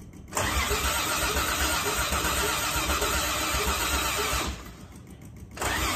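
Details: Toyota Crown, fuel filter reportedly checked: two bursts of steady cranking about four turns a second, separated by a short pause, no cylinder fires; cranks but won't start, spark or fuel delivery suspected.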